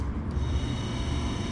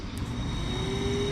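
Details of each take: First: Porsche 924 Turbo wiper motor, cover off and main gear removed, motor tested alone on low speed: steady low whirring hum with an even rumble, no knocks or grinding; spinning smoothly. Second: Porsche 924 Turbo wiper motor, main gear removed, tested alone on high speed: a thin whine climbs slowly before steadying. The motor is sluggish taking off, and the owner suspects it is gummed up and plans cleaning and light lubrication.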